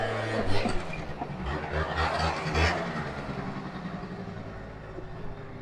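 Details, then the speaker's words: Small two-stroke 50cc scooter at top speed: rough, uneven clattering and grinding that fades as the engine bogs down, then the engine locks up and the scooter won't roll back; the top end was later taken off. "Something's wrong. I don't know if the camera picked up on that noise, but it was not good."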